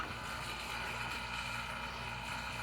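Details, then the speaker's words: Vacuum pump evacuating the new A/C system on a Jaguar MkII after about an hour, near 30 inches of vacuum: steady buzzing drone at constant pitch, no knocks or surging; normal running at deep vacuum. "and you'll hear the pump note change cuz it doesn't like sucking nothing."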